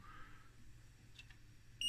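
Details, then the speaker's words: Schlumberger Stabilock 4040 radio test set from about 1994, running the self-test (Special 31): quiet room, then one sharp high beep as the self-check fails with error 41 (or 4.1), possibly pointing to U4. "and then it will run some self-test uh self check next and we got an error in u4 or is this just the error number 41 or 4.1 I don't know"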